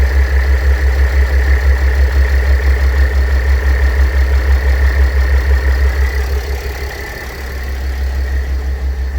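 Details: Mercedes W211 with OM642 3.0 diesel idling: steady whirring tone above the rumble from a worn A/C compressor bearing; replacing the bearing removes the noise.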